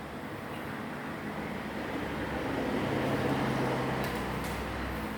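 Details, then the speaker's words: Desk/floor fan after an oscillation fix, a cable tie pulling the small gear tight against the large gear: steady soft airflow with a faint hum. It oscillates with no clicking or noise. "พัดลมแล้วก็ทรายแล้วก็เล่นนะครับไม่มีเสียงนะครับ"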